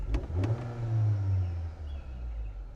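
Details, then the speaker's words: Rebuilt totaled 2025 Honda Accord turbo engine, revved in neutral after fitting new intercooler gaskets and fixing a boost actuator not closing fully: light clunks then smooth rev rising and settling evenly; healthy, no check engine light. "No check engine light. Everything is looking good like it should."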